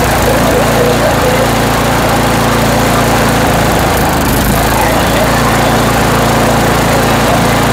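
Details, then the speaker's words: Toro Power Max 828 LE snow blower, 8 hp Tecumseh engine, after replacement with an adjustable Amazon carburetor and main jet tuning: loud, steady full-throttle drone with no hunting or stumbling; running smooth. "I okay now the engine's running well nice and smooth RPM at Full Throttle"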